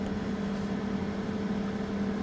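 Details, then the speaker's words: Generator powering a heater load of about 1100–1200 W as the output drops: its cooling fan kicks on with a steady low hum, a constant tone and no rattle or surge. Normal fan operation under load. "okay here we go there we go it's dropping fan kicked on"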